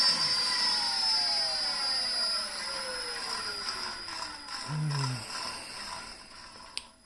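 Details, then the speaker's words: Lexus GS450h hybrid drivetrain on the bench with inverter powered up and throttle simulation: steady high-pitched inverter whine with tones sliding smoothly down as MG1 and MG2 spin down; normal motor-generator operation. "I have my little throttle simulation here, and let's go. As you can see, we are spinning MG2 here on the back and MG1 here."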